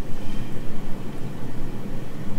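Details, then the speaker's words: Red Sea Max Nano reef tank return pump on day two of fishless cycling: a constant low droning hum with a slight rough flutter. The pump is still noisy, and the owner hopes it will quieten down. "sorry about the noise on the previous video my return pump is still making quite a bit of noise on day two but i'm hoping it will quieten down"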